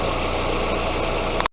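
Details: Audi A4 power steering pump that had been humming, after system flush and fluid change (about 1.8 L): smooth, even idle with no pump hum or whine; pump now quiet, normal idle.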